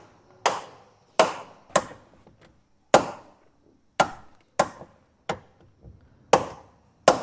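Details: VW Gol door: sharp hollow knocks, about nine in seven seconds, unevenly spaced ('tec tec'). Cause is loosened door screws; the fix is tightening them with a T40 Torx key.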